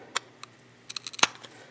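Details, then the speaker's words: Seized oil pump removed from a 2010 M8, shaft turned slowly by hand producing dry gritty crunches and scattered clicks; pump seized and binding internally. "hey crunchy crunchy she is seized right up I don't even think we're gonna get into it"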